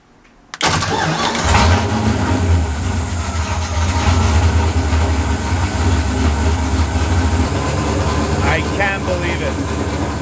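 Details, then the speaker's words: Drift car engine after reinstalling intake and replacing defective new GM cam sensor: catches instantly and settles into steady, even idle with smooth low rumble, no misses or knocks; running good. "I can't believe it it was a defective cam sensor straight from GM as if I haven't had enough this year I can't believe it I'm speechless well everything's running good"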